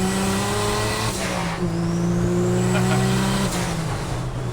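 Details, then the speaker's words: 1965 Chevy C10 Fleetside with turbocharged inline-six, driving on road: smooth six-cylinder pull with thin high turbo whistle rising as boost builds, plus blow-off valve. Normal turbo whistle and blow-off valve. "And then you hear that distinctive inline six sound and that whistle of the turbo and the blow-off valve."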